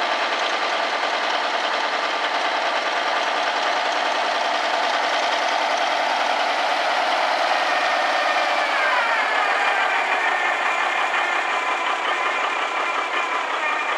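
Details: Old Kenworth truck diesel just started after five years parked: steady, even idle with busy clatter and no misses or odd knocks, smoking at first; normal diesel idle.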